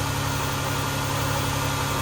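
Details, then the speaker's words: 2011–2016 Chrysler Town & Country after ignition coil replacement, which fixed the cylinder 6 misfire (P0300/P0306), with the scan tool showing no misfires; steady, even idle with a constant low drone and no stumbles, normal idle. "It's running fine right now. No misfires anymore."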